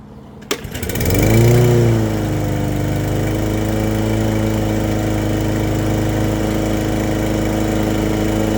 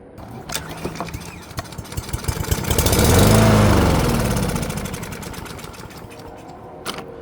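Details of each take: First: Brand-new push mower after its plastic carburetor was rebuilt and the spark plug gapped to 0.030 in, oil checked: pulls over, catches, spins up and settles into a smooth, even drone at steady speed with no misses; runs well. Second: Brand-new push lawn mower with plastic carburetor, spark confirmed: engine catches on sprayed brake cleaner, swells briefly then fades and dies; runs only on sprayed fuel, fuel starvation from a clogged carburetor jet, carb then removed and rebuilt.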